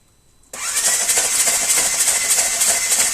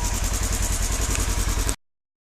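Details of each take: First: 2016 Ranger 900 XP sunk in water, water intrusion through the intake: cranked with spark plugs removed to blow water out, fast even ticking starter spin about eight seconds with no firing, engine turning freely. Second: 2016 Polaris Ranger 900 XP that was sunk in water, after draining water and diesel fuel flushes, running toward operating temperature with cheap 5W-20 oil: steady, even idle, regular low pulses about seven per second, no knocking or misses.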